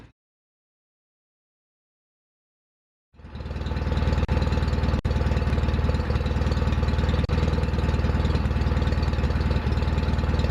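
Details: John Deere 316 tractor after restoration; after a few seconds' silence it fires up and settles into a smooth, steady, even beat with no knocks or misses; normal running.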